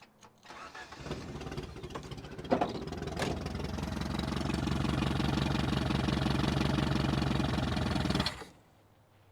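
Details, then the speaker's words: 1973 Toyota Hilux with the 18R 2.0L four-cylinder carbureted engine, sitting about 20 years: steady cranking for about seven seconds without starting; the fuel pump delivers no gas to the carb, and the tank's fuel is believed evaporated. "unfortunately, even after firing up a few times, we didn't get any gas from the fuel pump into the carb."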